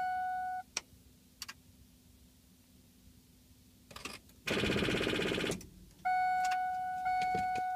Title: 7.3L No Start